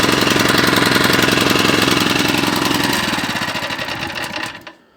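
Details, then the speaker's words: 4-stroke tiller (motoculteur) pull-started with the choke/start button left in the start position: loud fast chugging slows and fades, dying after about five seconds; the button should be pushed back after starting to keep it running. "Et donc vous avez vu que là il a démarré, mais il aurait fallu que je repousse ce petit bouton là pour qu'il continue à bien fonctionner, car cette position est uniquement pour le démarrage."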